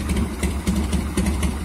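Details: Carbureted 1990 Harley-Davidson Fatboy Evo (yellow heads), returned to the owner after a carburetor cleaning that fixed its no-start. Steady, loping low idle with an even beat and no misses or knocks: running cleanly.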